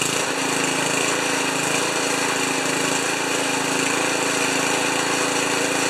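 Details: Ariens 2+2 snowblower single-cylinder engine after cleaning a plugged jet and squirting fluid into the idle circuit, run at about three-quarter throttle, smoking a little. Fast, steady, busy buzz with no misses or knocks; sounds healthy.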